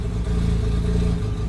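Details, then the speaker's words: Mazda RX-8 rotary that stalled unless throttle pressed, 10 minutes into a 20-minute idle relearn after reset: low, smooth, even hum with no dips or stumbles; holding steady idle on its own. "but hey it's idling that is already a good sign we're further along than we were before it's actually idling gosh that's amazing"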